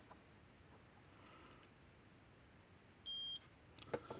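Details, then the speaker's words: Gallagher Smart Scale 200 on auto mode after battery change and circuit board repair: quiet, then one short high beep of about a quarter second as the weight locks on; normal lock-on signal. "See it locked on."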